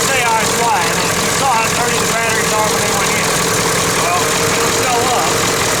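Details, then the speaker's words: 1996 Ford F250 7.3 Powerstroke diesel just after a cold start in about 30°F, having sat 2.5 years, started on 7-year-old batteries; steady even idle clatter, no misses or stumbles, running normally. "These batteries have been sitting dead now for a couple years, but they still managed to bring this old truck back to life."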